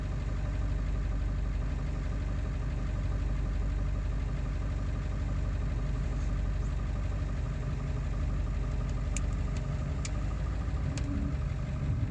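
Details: Ford 7.3 diesel after an ICP sensor replacement: steady deep idle with an uneven, lumpy beat of about two pulses a second that never settles. Still rough-running; cause unclear.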